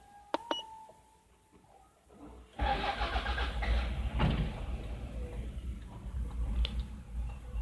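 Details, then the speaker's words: 2001 Toyota Kluger, 2.4L 2AZ-FE, hard start: long crank before catching, then rough uneven idle with lumpy irregular beats; misfiring from faulty ignition coils; earlier oxygen sensor and coolant sensor wiring fixed. "engine is running but very poorly it is uh it's misfiring"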